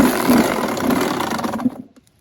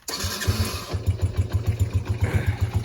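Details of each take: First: Suzuki RM85 two-stroke dirt bike, cheaply bought, kickstarted: buzzes raggedly under two seconds then stumbles and dies, won't idle; owner suspects carburetor, and earlier thought it may need a crank; unconfirmed, engine to be torn down. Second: Small dirt bike/quad engine, said to have been fixed up: cranks, catches within a second, settles into an even thumping idle of about four beats a second with no misfires; normal idle.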